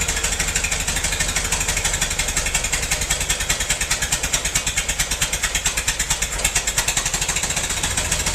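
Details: Massey-Harris 44 tractor stored 10 years in a semi trailer, with burned points replaced: uneven, lopsided chuffing about three beats a second with gaps in the firing as cylinders 2 and 3 misfire; owner suspects stuck valves, plugs or wires; a stuck intake valve was found.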